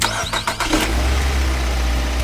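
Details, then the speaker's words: Car that previously would not start despite new throttle valve, plugs and coils checked, after a part was cleaned and reinstalled: a few quick cranking beats, then clean catch into a smooth, even idle; problem solved. "look one success try again success again the power is very strong the problem has been completely solved"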